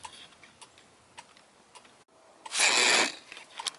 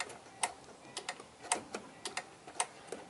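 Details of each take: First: Left turn signal switched on with a newly fitted on-off-on toggle switch: an unexplained short keeps triggering the flasher relay, heard as sharp, light ticks in an uneven rhythm that changes, with one louder burst. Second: Firus vehicle hazard/emergency lights on: sharp paired ticks about once a second, steady and even, from the small black flasher relay box; normal relay clicking.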